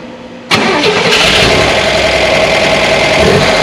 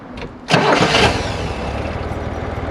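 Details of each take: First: 1965 Corvair 500 engine just reinstalled after sitting almost 30 years, backing out of the shop: busy clattery idle with light quick ticking; lifters not yet pumped up, quieted after a 5–6 mile drive. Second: 1965 Corvair 500 with the engine just reinstalled, warm after a 5–6 mile drive that pumped up the lifters: brief crank, then a steady, even, quiet idle with no valvetrain ticking. It had sounded terrible earlier.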